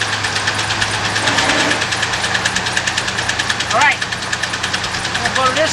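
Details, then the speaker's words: 1998 Ford F-150 pickup, 4.2-liter engine, idling: uneven, lumpy exhaust beat with irregular thumps and stumbles; runs really rough with multiple misfires, diagnosed by pulling plug wires without a scanner. "man this thing's going raggedy what the heck is going on"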